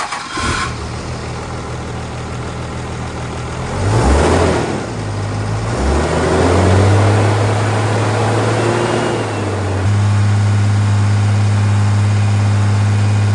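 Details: Freshly rebuilt 2nd-gen Cummins diesel during break-in, after plugging in the camshaft position sensor: catches, revs up and down a few times, then settles into a steady, even low drone; normal running.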